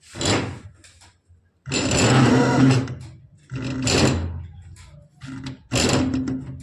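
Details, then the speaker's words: Electric scooter motor on a new original controller with the battery showing full. It runs freely unloaded, but under load it surges in rough bursts about once a second with knocks, jerks, dropouts and vibration; the cause is not yet found. "और बिल्कुल भी ये झटके ले रही है, हल्के हल्के झटके ले रही है और आवाज कर रही है और ये इस तरह से वाइब्रेशन कर रही है।"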